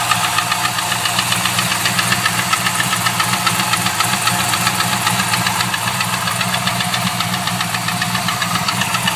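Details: LS1 V8 at steady idle with a crisp, even knock ticking around 220 a minute; owner suspects gudgeon pin failure, unconfirmed.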